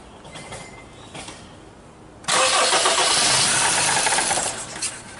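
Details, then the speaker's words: 2001 Honda CR-V with P0341 CMP/CKP incorrect phase code, no check engine light: weak cranking pulses, engine fires and roars about two seconds then dies when foot comes off the accelerator; starts then stalls. "okay try again on that all right so when you take your foot off the X it cuts out right"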